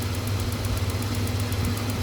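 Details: Hyundai Santa Fe V6 with engine light on, at idle during fuel-trim diagnosis: quick steady light ticking about nine per second over a low smooth idle as the canister purge valve cycles normally.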